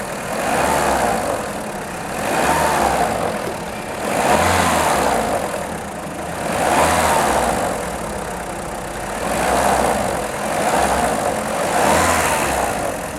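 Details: VW Polo 6N2 1.4i 16V petrol at idle: dull clacking from engine block swelling and fading about every two seconds, stops when accelerating, engine pulls well; ticking at idle, cause unknown.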